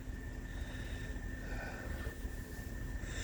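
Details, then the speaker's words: Mini split outdoor unit after a leak repair, indoor 73°F: the system ramped itself down with the fan much slower and pressure just over 300. Quiet steady low hum with faint tones; normal reduced-speed operation. "Now the system just went ahead and ramped itself down. The fan speed slowed down a lot, and our pressure here is just slightly over 300."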